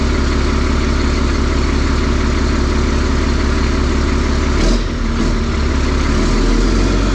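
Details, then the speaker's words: Diesel on a hay squeeze, very loud, slow to catch after cranking, then settles into a steady, even idle clatter with a brief dip, reading 60 psi oil pressure; accelerator pedal code 551 just cleared, and ECM power suspected of dropping during cranking. Runs healthy. "Okay, it should fire up. Takes a while for it to wake up and catch back up after I crank on it. Okay, 60 pounds of oil pressure."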